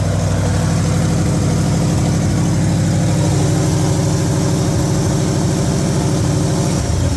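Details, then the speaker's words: 1960 Pontiac Bonneville 389 V8, revived after sitting about ten years and just fitted with new plugs: a steady, deep, even idle that sits a bit fast throughout. It is still on high idle. "So, it's still on a high idle a little bit. on the high idle a little bit."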